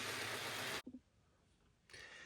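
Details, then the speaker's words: N gauge class 323 model train motor unit: a harsh, gritty whirr comes and goes as the small motor runs. Hoped to quieten on DCC once it's had a service. "hopefully um it'll quieten down a little bit on DCC once it's had a bit of a service I think some of the this makes it a little bit more noisy as well"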